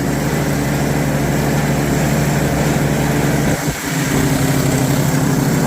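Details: Customer's snowblower, auger not engaging before; carburetor cleaned for suspected stuck float, drive belt tightened: steady even drone with a brief dip under load then recovery, belt pulling cleanly with no slip squeal, spinning faster; runs quite well.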